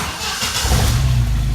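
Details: Jeep that stalled at a gas station and wouldn't restart, run with jumper wires bypassing the automatic shutdown and fuel pump relays: short crank, catches at once, steady even idle.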